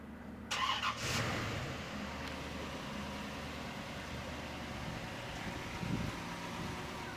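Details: 1992 Chevrolet Corvette C4, 5.7L V8, automatic, about 51,600–55,600 original miles, pampered condition: brief crank, quick catch, then a steady even low idle with no misses or knocks; healthy start.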